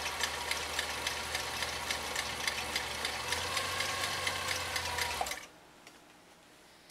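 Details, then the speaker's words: 1955 Viking Type 21 sewing machine, zigzag stitching in slow gear through the bobbin winder gear reduction: even, restrained ticking at about three and a half stitches a second, then stops; normal slow-gear sewing. "the machine will sound like it's being held back and it is uh because of a gear reduction that happens in the bobbin winding assembly"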